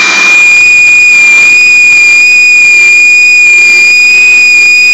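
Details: Cold-start whine/whistle at the front of the engine near the drive belt on a 2003 Mercury Grand Marquis, 4.6 single cam, single exhaust, 95k miles; loud steady pitch for the first 30 seconds only below 30°F, then gone.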